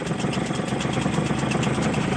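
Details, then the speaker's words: Hangkai 6 hp two-stroke outboard after carburetor rebuild, after testing forward and reverse: quick, even putter about eight beats a second, steady pitch, no misses; idling cleanly. "Okay. So, it's running pretty good."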